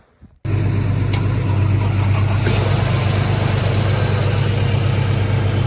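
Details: 2011 Mercedes-Benz C300 4Matic from auction, dead battery jump-started from a truck, snowy conditions: catches after a short crank, settles into steady even low idle, no knocks or misses; normal idle.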